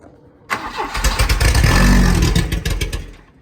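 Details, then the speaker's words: 1984 Volvo 244 GL pulled from the woods, hot-wired straight to the coil with starting fluid sprayed into the intake and no fuel system connected: starter churns, the engine catches for a couple of seconds and dies. Not getting enough fuel. "Huh? See? Sure it'll run better with a fuel system. Yeah, it's not getting enough fuel, but we can fix that."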